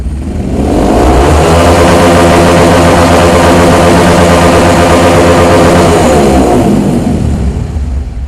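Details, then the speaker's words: Fuel-injected motorcycle with Juken 5 ECU at full throttle (TPS 100) during auto-mapping: engine holds a steady, even high-rev drone without stutter, popping or bogging; sounds healthy. "Oke. Kita tambahnya. Ya, lanjut. Oke, jadi di sini dapatnya 25 ya, baru enak bunyinya."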